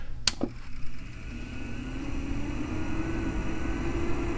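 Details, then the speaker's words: Macintosh SE/30 (about 30 years old) with original power supply, before Seasonic replacement, screen not coming on: sharp click then faint steady low hum and strange noise; failing power supply. "can hear that it's making a very strange noise also you can see that the screen is not coming on or at least partially does it has some serious problem"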